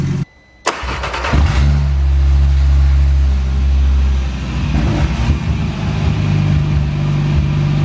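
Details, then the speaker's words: Skoda Octavia vRS with DAZA RS3 engine swap, first drive attempt after mechatronics unit and new starter fitted: deep booming drone swelling with revs, far louder than stock; only a decat downpipe, no catalytic converter or resonator. "yeah that's the reason it was very loud here's my uh Decat downpipe that is the only thing on the engine exhaust wise so absolutely no resonator"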